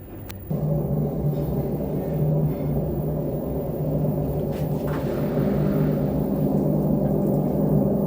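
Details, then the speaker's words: LG direct-drive washing machine in spin/dry: a heavy, rough low rumble with a building hum, while it is quiet during normal washing. The cause is worn drum bearings, which are then replaced. "ya Mama belakangan ini waktu pengeringan atau tuspin suaranya agak keras dan kasar Hai Tapi waktu cuci biasa dia Suaranya pelan diperkirakan ada masalah di dalamnya"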